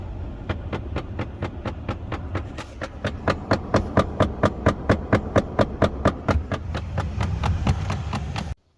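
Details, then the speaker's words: 2005-2009 Ford Mustang: steady sharp clicking, about two a second, from behind the dash near the glove box; failing HVAC blend door actuator, about to be replaced. "Today we're going to be working on the Mustang, and we're going to be replacing this guy. It's the blend door actuator. If you ever heard this noise,"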